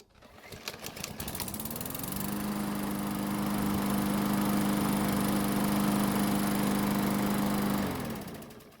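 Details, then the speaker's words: Murray lawn mower after no-start repair following winter storage, hot restart after about 5 minutes running: a few pulls, engine catches at once, settles into steady even drone, then shuts off; starts easily when hot, so valve clearances not suspected. "so as you just saw it started back up with no problems which is absolutely the way we want it to be"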